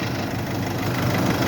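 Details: Mercedes that would not crank even with a new battery; its starter motor, behind the turbo, had lost its copper/brass contact. A steady, even idle drone with no misses or knocks. Running smoothly.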